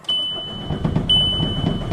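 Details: VW Jetta TDI after a recent engine swap, down 4 years: the starter cranks at a steady, even rate with a high beep over it but never fires. Glow plug codes are stored, and a long crank sets P0341 camshaft position sensor range/performance. Crank no-start.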